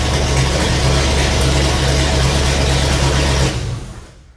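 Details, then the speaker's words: Ford highboy truck's 428 V8 after new main and rod bearings, first start with no muffler: fires quickly and settles into a loud, even unmuffled idle, no knocks or ticks, oil pressure up to about 80; normal idle. "80 all right this thing doesn't have a muffler on it and man is it loud wow that kind of reminds me of how much that muffler I had on there is actually doing something"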